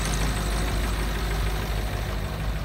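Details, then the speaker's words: 1996 Ford F250 7.3 diesel, five-speed, cold start at about 28 degrees after glow plug wait: fires right up with no check engine lights, settling into a deep, steady, even idle with no knocks or misses, heard from outside; normal cold idle. "here we go fires up which is always a good sign no check engine lights another good sign"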